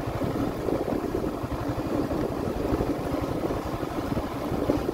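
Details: 2023 Yamaha Sniper 155R, five months old, at idle: steady single-cylinder putter with a faint uneven rattle over it; source not found by the mechanic, taken to Yamaha for checking.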